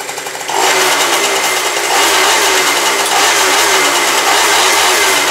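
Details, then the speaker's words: Two-stroke scooter starting and running after a makeshift repair of a mechanically damaged carburetor (top cap glued) and a patched carburetor-to-reed flange rubber: catches at once, sharp steady buzz with clean pickup; runs normally. "Neverovatno, fantastično radi. Nikad ne bi rekao, izgleda mi krš, krpan karburator."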